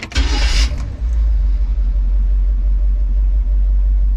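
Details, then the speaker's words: Carbureted classic van with an Edelbrock carb, hot start after tightening the loose battery cables: a brief crank, then it fires right away into a strong, steady low rumble; normal start, the earlier slow start was the cables, not timing. "here I was thinking it was timing cuz I messing with timing but nope battery cables"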